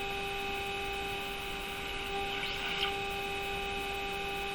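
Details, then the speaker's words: Mohawk Model 1240 five-tube radio during RF alignment, loop antenna with signal generator at full power: a steady low buzzy hum like an engine running under everything. Cause unknown, possibly interference. "still has a funny sound to it it's like like an engine is running in it"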